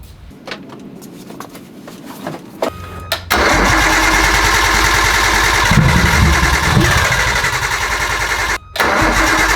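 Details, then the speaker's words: 1998 Nissan Skyline GTT, basically stock RB25, bought non-running; after installing a Walbro 525 fuel pump, slow starter churn then it catches and settles into a steady even idle, starting twice in a row after earlier failed attempts; rigged fuel line leaks slightly. "We fixed it! We fixed it! Guys, it started 2 times in a row."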